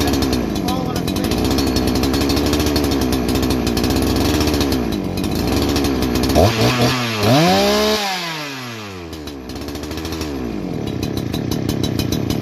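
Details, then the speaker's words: Holzfforma G288 88cc two-stroke chainsaw with 24-inch bar, new out of box: idle hunts up and down erratically after earlier bogging fixed; air leak suspected, resolved by tapping the clutch-side crank oil seal into place. "i got that i got past the bogging and everything but the thing is idling erratically just everything every part of that is mimicking that of an air leak"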